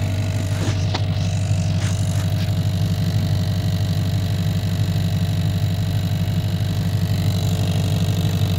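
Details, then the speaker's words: 1990 Chevrolet K1500 truck, 5.7L V8, automatic, idling, heard inside the cab at the floorboard with carpet removed: steady rapid tick; fuel line touching floor pan and firewall, fixed by bending it away. "all right you guys I've got a interesting ticking noise coming from the floorboard area here"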